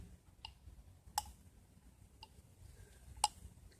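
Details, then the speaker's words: Sharp, uneven light clicks, about one per second, as a removed Victory V92C transmission shift drum is tipped. The short shaft that the bearing rides on has come out of the case and slides loose inside the drum. "there's something inside there's not supposed to be something inside and what it is is at this end which is the end that goes against this part of the case well there's a little short shaft that that bearing rides on well the shaft has come out of the case and it's now inside here"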